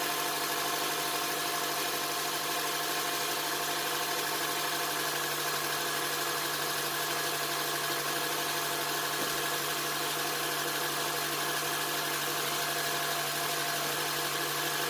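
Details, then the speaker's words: 2007 Honda Accord 2.4 DOHC, first start after timing chain replacement with a Melling kit: steady, even idle with constant hum, no knocks, rattles or chain slap, no check engine light; normal idle. "Sounds good, no check engine light."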